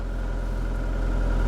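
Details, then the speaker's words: Ford Escort Mk6 project car, in neutral, starts right up on the first try and settles into a low, even petrol idle with no misses, knocks or ticks; normal idle. "Oh, that's That's not what you want, folks. That's just started right up."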